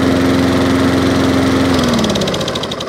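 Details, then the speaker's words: Free 21-inch Wolf lawnmower, back running after a fix; single-cylinder engine runs with steady even beat and fast firing, then eases down slightly; normal running. Drive not working, possibly belt. "Nice little 21-inch Wolf lawnmower for nothing. Half hour's work, back up and running."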